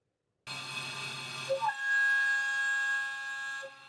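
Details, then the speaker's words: Milling cut before optimization/tap test: harsh ringing multi-tone scream as varying cutting force from teeth entering and exiting the cut vibrates the tool; milling chatter. "yeah so we have like we said a dynamic system that's being acted on by the force that's necessary to remove the material so as my teeth enter and exit the cut that force varies and that varying force causes the tool to vibrate"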